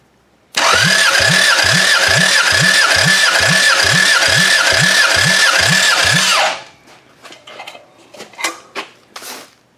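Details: Bare demolition-derby engine, run in a derby before, cranked during a compression test. Even regular compression pulses, about four a second, then it stops; healthy compression, motor judged usable.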